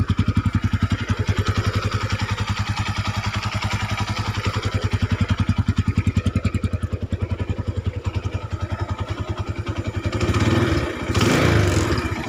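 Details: Honda Tiger 200cc single-cylinder after cam chain replacement; even steady idle beat without knocking or rattle, smoother with clutch pulled, slight clutch-area noise otherwise, brief clean rev; normal idle.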